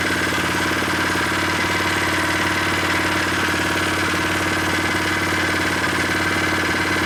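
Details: New unboxed Predator 79cc single-cylinder engine on first start with stock muffler, freshly filled with 0.37 quart oil, no choke: ticking over at a fast, even idle with a steady buzz while warming up, no misses; it sounds solid.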